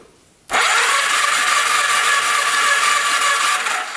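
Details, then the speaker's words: 1991 Kawasaki Vulcan 1200 motorcycle, given away free as a non-runner: the starter cranks the engine at an even, rapid churn for about 3.5 seconds with no firing. No spark is seen at the plugs. It cranks but won't start. "Turns over pretty good, but we're not getting anything."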